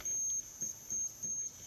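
A thin, steady high-pitched squeal comes in short repeated bursts with little else behind it; that's the coil driver squealing on fast-switching transistors.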